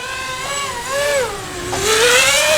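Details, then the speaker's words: Diatone Tyrant 180 quadcopter on 4-inch props, line-of-sight flight: motor whine rising and falling with throttle, rough gritty buzz over it; junky worn motor bearings, though it still flies and flips well. "way but it flies real nice even with junky bearings in it but it'll do flips rolls it'll do back flips pretty easy"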